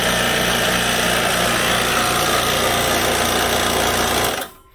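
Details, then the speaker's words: Typical small air compressor, used for comparison: loud, steady, fast rattling chug with even pulses until it shuts off; normal running. "that's pretty typical small compressor like that sounds like that"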